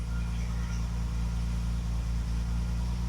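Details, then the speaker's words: Classic car after new ignition (correct coil, new contact breakers and condenser, original HT leads): smooth even low hum, steady rhythm, no stumbles, firing on all cylinders, never run that well; normal idle. "It's idling properly. It's accelerating properly. It's firing on all cylinders."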